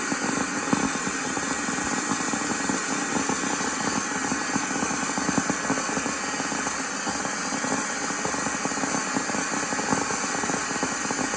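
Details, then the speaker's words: Miele Classic C1 Junior Powerline vacuum cleaner, rebuilt SBAD1 motor on old brushes, running outside without load: steady high-speed roar with gritty crackling roughness; commutator arcing audible, a burnt-out winding suspected. "That hasn't made much of an impact on it, and I'm wondering if a winding is burnt out or something. There's still arcing on that commutator, you can hear it."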